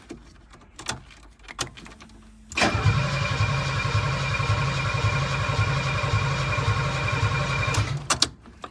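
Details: 1975 Mercedes 280SL with D-Jetronic injection, first start attempt in over a year of restoration, fuel tank not yet hooked up: about five seconds of steady starter cranking, roughly four beats a second, never fires; cranks, no start.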